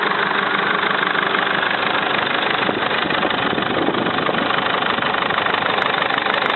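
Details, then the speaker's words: Mercedes Sprinter diesel at idle, recently changed to semi-synthetic oil: regular light tick about three per second over the clatter, heard only from the turbo side; owner suspects hydraulic lifters, unconfirmed. "Какой-то необычный стук, похоже на гидрокомпенсаторы. Открываем. Заводим машину. С этой стороны не слышно. Слышно только со стороны турбины."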